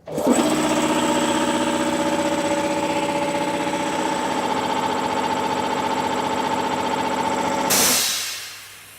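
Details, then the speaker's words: Ash Air SF302 cast-iron 3-cylinder piston compressor, 3 HP, single-phase, 16 cfm, in a normal cycle: strong, even pump beat up to pressure, then the motor stops with a burst of air hiss as the pump unloads. Normal running. "and in the machine will start and will start off by running it in a normal cycle so it will start get up pretty soon in and then unload and stop"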